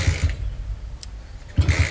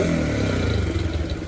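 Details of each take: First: Honda CB100/GL100 single-cylinder bike freshly fitted with a CPO PE 26mm carburetor, not yet tuned: uneven, sputtering low thumps with stumbles, hard to start, rough idle. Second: Honda CB100/GL100-based custom with a newly fitted CPO PE26 26mm carburetor: short sharp throttle blips with crisp pickup and clean fall-back, no misfire or hesitation. It sounds more aggressive than with the previous carb and revs healthily.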